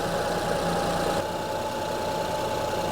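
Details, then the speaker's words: 2005 Honda Odyssey with a flashing check engine light, misfire codes and severe shaking, idling: uneven idle with an irregular stumble and a faint steady whine over the hum. The cylinder 3 ignition coil is bad; the fix recommended is one coil, six spark plugs and new coil connectors. "yeah so this so the third ignition coil is bad I'm going to recommend replacing one ignition coil and six spark plugs"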